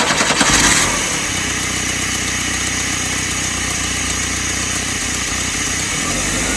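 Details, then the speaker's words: 1986 Chevy S10 Blazer 2.5L with a runaway idle, run with the MAP sensor unplugged: it catches, then runs roughly and hunts with revs hanging high and racing again, so unplugging didn't cure it. "it ran like crap but it's sort of idled and it raced again"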